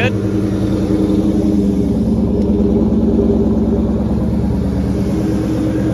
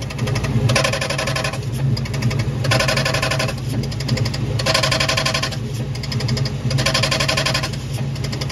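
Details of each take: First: 2004 Mustang Mach 1 after the clutch fork noise fix, with the pivot ball stud re-secured with Loctite, the fork greased and fluid refilled. Smooth, even idle with a steady low throb, no chirp, grind or bellhousing rattle: normal idle. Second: 2004 Mustang Mach 1, about 500 miles after new clutch, throwout bearing and pivot ball stud: engine rumble with harsh metallic scraping bursts about every two seconds, sparks seen, clutch fork rubbing the pressure plate.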